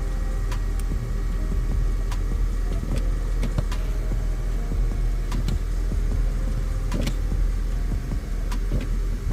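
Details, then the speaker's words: 2005 Honda Civic after brake booster replacement: steady even idle with no knocks, hiss or squeals; normal idle. "Sounds like a winner."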